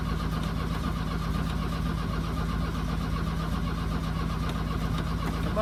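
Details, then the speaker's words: 1982 VW Vanagon Westfalia on a chilly day, after new battery, glow plugs and starter; starter turns the engine slowly and unevenly, never catching: cranks but won't fire. Power confirmed at glow plugs; owner suspects fuel delivery. "baby oh back to the drawing board we go hey everybody so here we are again uh we've been tackling this uh engine starting um so we replaced the gold plugs like i was saying i tested the glow plug fuse i'm getting power to the globe bugs i think it's a fuel delivery issue"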